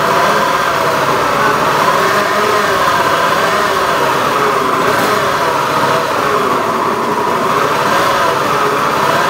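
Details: Honda Beat FI eSP eco scooter: engine runs with a coarse, gritty mid-pitched drone at steady speed, no clear knock pattern; rough-running engine, cause not pinned down.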